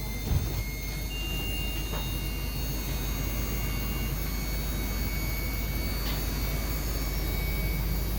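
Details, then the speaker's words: HWH RV hydraulic pump motor RAP91244, reinstalled after replacing its carbon brushes, running the slides with the vehicle engine idling for current: steady low drone with no catches or surging, labouring briefly to pressurize and sounding good; normal hydraulic pump running. "Always let it labor there just a little bit, make sure everything pressurizes good. But it sounds really good."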